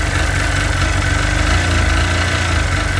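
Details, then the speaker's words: Sea-Doo 951 DI two-stroke after custom rebuild, idling with fuel pressure fluctuating near 107 psi (regulator responding, steadies when revved); steady low burble, even and unbroken, no stumbles or misses; normal idle. "i think that's okay i think it's just the regulator responding but it looks good sounds good it's running smooth"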